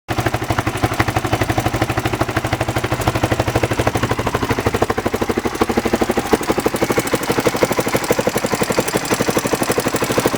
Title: Honda xr600r ticking noise